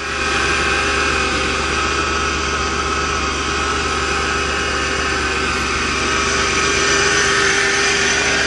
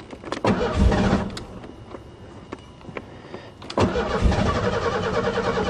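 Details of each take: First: hopefully yes hahaha sounds like new to cool love it I knew my job just couldn't let me down Second: Car cranks, catches briefly, dies, then catches again rough and uneven, even with no throttle and then foot to the floor; it ran in winter. Owner suspected intermittent spark, but it was not the coil.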